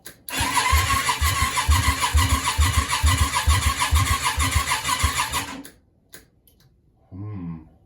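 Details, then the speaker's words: Yamaha Virago 535 twin out of the bike, hooked to a battery for a trial start: the starter spins it quickly and evenly, about two puffs a second, turning over easier than expected, but it never catches, pointing to low compression. "seems to be turning over easier than I expected"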